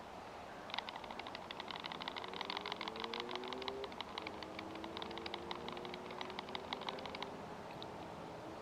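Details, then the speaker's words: Tisas 1911A1 US Army-style pistol, 3 years old with about 3,500–4,000 rounds, rattle test: quick light metallic clicks when shaken show a slightly loose slide-to-frame fit from wear. "If I try to wiggle it, you may be able to hear that. So yes, after whatever 4,000 rounds, it's a little bit loose."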